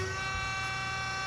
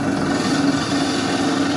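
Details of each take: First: Wells F-15 auto saw with automatic hydraulic feed, hydraulic pump started: steady, even electric hum with a constant whirring tone and no knocks or surging; pump sounds healthy, though the variable speed pulley is noisy elsewhere. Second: Wells F-15 auto saw running with pump and blade on: steady hum with a wavering mid-pitched whine that comes and goes from the worn variable speed pulley, due for replacement.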